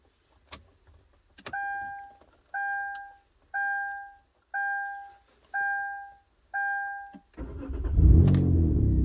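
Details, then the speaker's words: 2012 Kia Rondo, old key fob case with original transponder held near the ignition switch: six evenly spaced chimes, then a short crank and the engine catches cleanly into a steady idle; normal start. "So what I'm going to do is I'm going to try and hold this piece near the ignition switch and see if it'll start."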